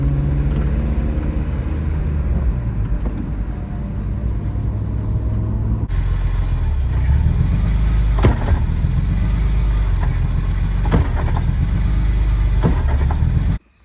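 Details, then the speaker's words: BMW E46 M3 while driving, with a rear-end noise: steady road rumble with sharp single clunks from the rear every few seconds; rear end clunk, addressed by replacing the rear differential bushings. "so there was some weird noise coming from the rear ends so the car is in the air and I'm going to listen now and try to see if I could find where that noise is coming from"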